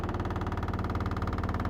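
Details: Washing machine on spin cycle, recorded on the porch: fast steady thumping about a dozen beats a second under a low hum, vibrating the whole porch; cause unclear.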